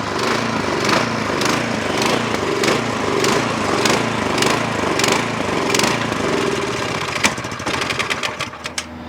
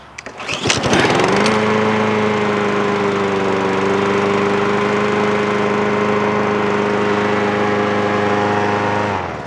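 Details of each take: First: Snowblower engine runs only on choke: off choke it surges in uneven pulses under two a second, then stumbles and sputters; carburetor starving it of fuel, needs to go back into the carburetor. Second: Mower running; catches after a few coughs, then a clean, steady drone with no surging or misfire.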